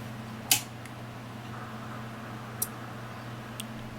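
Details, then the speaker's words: Koolance TMS-200 fan/pump controller after the cold-boot beep fix, board modified: steady fan hum with a few relay clicks and no beeping, all fan and pump headers working normally. "So I'm going to run some tests on it, make sure all the fan headers work and the pump header, and you can see it works perfectly fine, no beeping. It's so much more pleasant, and enjoy it."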